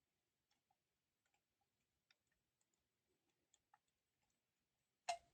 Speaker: If you can hear, relay was clicking, and we hear some noise.